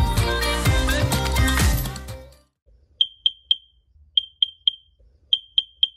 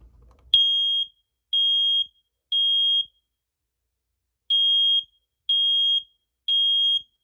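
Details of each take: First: Smoke alarm beeping with no smoke present: three high beeps, a pause, then repeating, after a burst of music; the old unit dated about 2012 had a new battery, so an old or expired alarm is suspected. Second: Hardwired smoke alarm test/silence button held about 10 seconds: loud, piercing high beeps in two groups of three, the normal horn pattern showing the alarm and its battery work.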